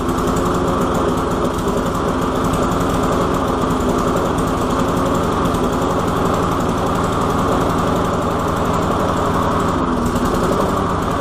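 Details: Walk-behind lawn mower after priming and carburetor cleaning with methyl hydrate: steady fast even beat throughout, no stumbling or surging; normal running.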